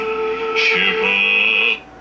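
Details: 1951 Stromberg-Carlson C1 tube clock radio after replacing a 12BA6 tube with a suspected heater-to-cathode short that caused hum: music plays clean and steady with no hum, crackle or fading; the set receives properly.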